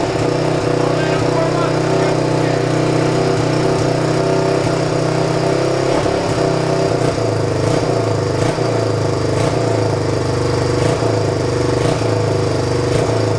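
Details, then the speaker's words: 1997 Suzuki DR350 single, neglected, choke on; uneven thumping with irregular pops and stumbles, rough running, suspected carburetor faults including missing accelerator pump. "it probably needs that carburetor part yeah the accelerator pump is missing and who knows what i"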